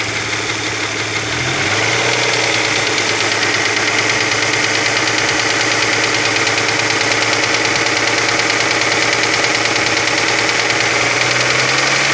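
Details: Opel Omega B engine at steady idle: fast, even ticking knock of about three per second; exhaust camshaft knocking on the second cylinder head.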